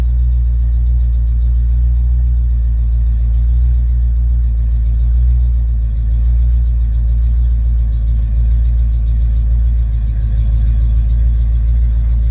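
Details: Ford Mustang with a rebuilt A9L mass air flow ECU (E9ZF-12A650-AA) on test after a no-start: the engine comes off high idle and settles to closed loop at about 800-900 RPM, a deep, steady V8 rumble with no misses or surging. Normal idle.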